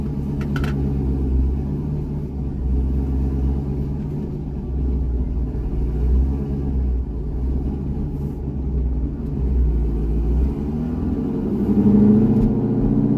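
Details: C6 Corvette V8 with aggressive cam and long-tube headers, after a revised HP Tuners idle tune targeting 825 rpm, part-throttle test drive: deep, even burble with a steady pulse, no stumbles or hunting. Smooth idle.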